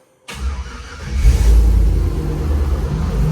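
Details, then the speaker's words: 1965 Ford F100 on a Crown Vic frame with a 5.3 LS swap, after gauge cluster and wiring work: fires on first crank, quick rev, settles to deep steady idle with oil pressure; normal start. "turns right on got oil pressure our gauge right here will turn on in a second everything else works great"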